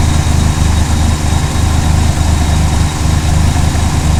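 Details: Conquest TSi petrol engine idling roughly, its low rumble dipping and stumbling about three times a second.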